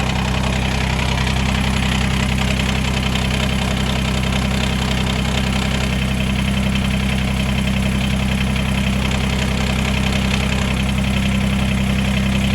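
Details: Kubota BX2380 diesel tractor after removing a tiny piece of silicone gasket maker blocking the PTO, mid PTO engaged with no implement: steady, even diesel drone and low hum with no knocks or grinding; normal running.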